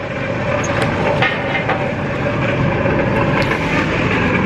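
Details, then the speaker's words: 1999 Ford Explorer Eddie Bauer 4x4 with coolant leak, head gasket believed intact: steady, even engine run with no skips or stumbles, light background hum; engine runs fine, no misfire. "um like the engine runs fine there's no misfires or whatnot"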